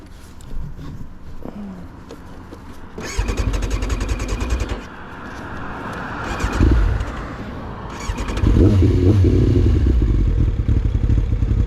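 Engine fires in uneven bursts, surges briefly, then sags and fades between revs, like a bike starving and dying out. Cause suspected, not confirmed.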